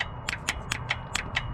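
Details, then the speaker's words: 1977 Datsun 620 broke down, suspected jumped timing, key on, distributor cap and rotor off: sharp dry snaps four to five a second, no engine running; coil is firing, so ignition box likely works. "We're firing the coil. I don't mean we're firing it at the right time."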